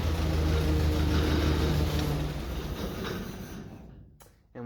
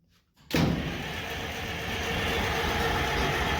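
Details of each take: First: International 93 combine engine running after 15–16 years unused: steady, even low drone with no knocks or misses before winding down; good oil pressure, engine sound. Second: International 93 combine, unused for 15–16 years. After a quiet start it turns over with a steady churn but never catches: crank, no start, likely because the choke was not used.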